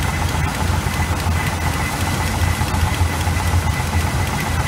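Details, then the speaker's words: 1986 GMC small-block 400 V8 with Edelbrock carburetor during mixture screw adjustment: deep idle that lopes and stumbles unevenly, never settling; rough idle, cause not pinned down. "we've got it it's up and running it's just idling like hell so we've been messing around with the timing"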